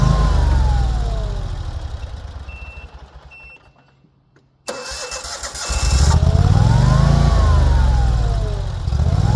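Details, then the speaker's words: Dixie Chopper mower on the family farm: long crank at about four turns a second fades out, a pause, then another crank before it catches; hard starting, cause unclear. "So, as you could see there from the beginning of this clip, I'm already having problems with this Dixie Chopper getting it to start."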